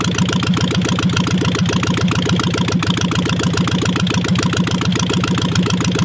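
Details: 1958 VW Beetle Ragtop with 36 hp air-cooled engine, probably not original, sitting since 1983, needs a muffler, loose belt: cold start then busy, slightly uneven idle clatter about three to four beats a second; running but rough.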